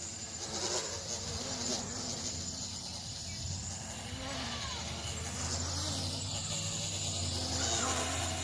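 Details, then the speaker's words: Old Bugs 3 quad with broken props: a thin, steady high motor whine at full throttle but little push behind it; no power and a strange noise, cause unknown. Motor whine with loss of power. "I can't sign it's got no power coming down full stick right there full throttle full toe"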